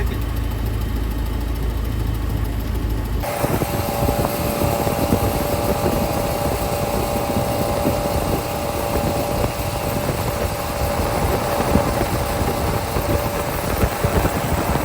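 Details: 1987 Bayliner Capri, fuel-injected MerCruiser 3.0 with Holley Super Sniper 2300 EFI, warm after a lake run: short crank, catches and settles straight into an even, steady low-rumble idle; starts fine warm.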